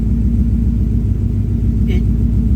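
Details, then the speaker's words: 1965 V8 with earlier P0352 code, cold start idle: deep even rumble with no stumble, all eight cylinders sound like they are firing cleanly; misfire not reproduced. "It's sounding pretty good. That's actually sounding nice and clean. It is technically still a cold start, but"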